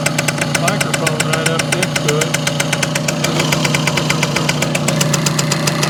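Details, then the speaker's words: Circa 1965–67 Yamaha YJ2 60cc two-stroke on premix, in neutral: crisp even popping idle about eight beats a second, no ringing or rattle; sounds tight and healthy, a bit loaded up. "I don't hear any ringy dingy but pretty tight I think pretty well loaded up"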